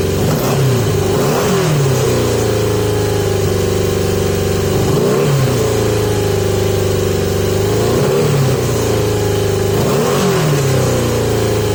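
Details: 1980 Yamaha XJ650 with carbs recently off and pod air filters fitted; blipped every few seconds, the idle falls back but hangs high and uneven instead of settling, possibly running lean; cause suspected, not confirmed.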